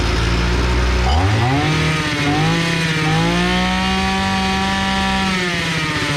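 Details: EFCO two-stroke brush cutter that ran briefly then stopped, after carburetor repair of a fuel leak that stopped the pump diaphragm working; catches and climbs to a steady high buzz without dying or surging; running properly.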